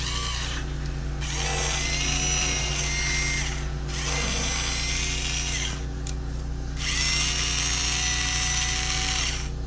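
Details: Bosch Ixo cordless screwdriver (unit 3), bought not working and completely dead, after repair: small motor spins in steady bursts with short pauses, even pitch, no grinding; runs smoothly, with background machinery noise.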